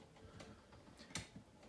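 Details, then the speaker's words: Steel-bladed ceiling fan on a 4-speed control, at around 20 degrees out: running slowly, with soft, uneven ticking about three per second as its shot, rough bearings rub; motor also somewhat off and stalls. "Well, because it is like 20 degrees out, the bearings are rough and it's steel bladed."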